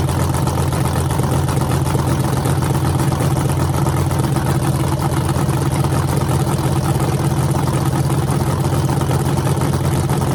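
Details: Freshly rebuilt small block Chevy 350 (355) on a run stand, restarted after refuelling, open headers, temps about 107 front, 76 back, plenum 69°: loud, even rumble at steady fast idle, no knocks or ticks; smooth and healthy.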